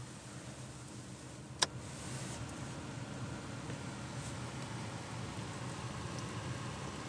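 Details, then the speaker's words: 2014 Volkswagen Jetta after the blower motor resistor was replaced (before, heat worked only on setting 4): a switch click, then a soft, steady rush of air at low speed with no rattle. Normal blower operation, now working on every setting. "It's working on 2. It's working on 3. And it continues to work on number 4."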